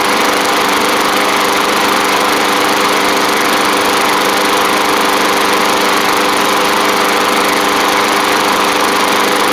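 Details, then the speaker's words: Bolens push mower, Briggs & Stratton Classic engine after repairs including carb kit: smooth constant high buzz, no surging or misfires; running cleanly at steady speed. "I'll let it run for a little bit just to make sure it's all good but man it's she's cruising along um especially from where we started in this video"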